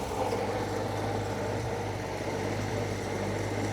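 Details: Circa-1952 Austin 6-cylinder petrol truck, possibly stood over 20 years, restarted fully cooled down with no added fuel: steady even idle, low rumble, no knocks or misses; normal idle.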